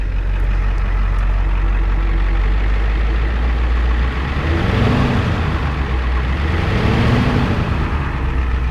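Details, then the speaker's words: 1993 Ford E350/E450 box truck with 7.3L IDI diesel: deep, even idle, then two clean revs that rise and fall smoothly back to idle, with no smoke and no blow-by. The engine sounds healthy. "That's it. The engine runs good. She's mint."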